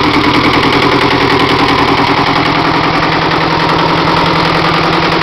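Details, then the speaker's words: Perkins 402C diesel after valve-face repair from intake debris, head gasket reused with copper spray: an even, steady idle clatter with no misses or knocks, oil pressure 48-50 rising to 60 on throttle, no smoke, normal idle. "runs great 40 up it's full texure already that was about about 48 to 50 lbs when I give it the throttle it goes up to 60 but she runs fine with no smoke other than the diesel fuel smoke"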